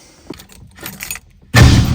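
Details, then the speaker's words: 1964 Ford Galaxie, everything dead and no crank until an unplugged connector was found and reconnected, jumper still fitted: a few light clicks, then starter bites with heavy low churning roll; cranking normal again. "Okay, dome lights are on. Still got the same jumper. Should crank now."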